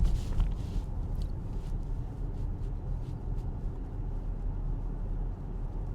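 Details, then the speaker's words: Acura MDX with 40,000 km, after a dealer transmission replacement, cruising at 40–42 km/h with the AC fan off: low road rumble and tyre noise with no whine rising over it; the transmission is fairly quiet, with the earlier noise gone. "We're now at 40, 42, technically there. It's fairly quiet."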